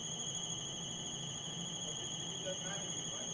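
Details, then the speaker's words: Gray water system control panel during low-level alarm demonstration: steady piercing buzz over faint hum as the cistern runs low, gray water solenoid valve shuts and domestic water solenoid valve opens. "the system just went into alarm mode you hear the buzzing inside the uh panel and what happened now was the gray water Solen valve shut down"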